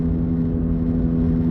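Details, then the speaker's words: Older car with key ignition, coasting in neutral with engine switched off: steady low hum and whir over road rumble persists, a rolling noise tied to road speed, drivetrain isolated; cause suspected, not confirmed. "yes the noise is still there guys so it's a rolling noise depending on speed"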